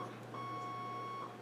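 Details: Kenwood TS-440 transceiver in test mode after reflowing display and control boards (display stuck showing all 8s): clean steady high beep about a kilohertz through the test sequence; self-test beep response is correct.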